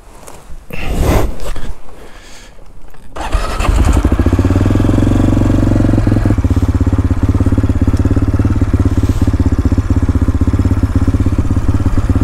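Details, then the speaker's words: AJP PR7 single-cylinder motorcycle started on a 25°C morning during a road trip: a few starter bursts, then it catches and settles into a quick, even thumping idle of about three beats a second; normal start. "Let's go, fire up the beast"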